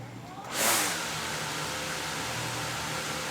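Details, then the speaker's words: DJI Mavic Air 2 on the ground with blue Master AirScrew stealth propellers: quick spin-up rush, then steady even whir with no wobble; vibration occurs only with the orange propellers. "So as you can see, the blue propellers, there's no problems at all. It's just those orange propellers for some reason."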